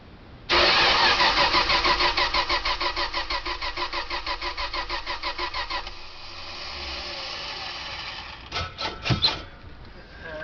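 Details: '72 Dodge Tradesman van, spark found at the points, carb primed: starter churns at a steady three beats a second for about five seconds but never catches; crank no start, owner suspects choke and will test a plug for spark.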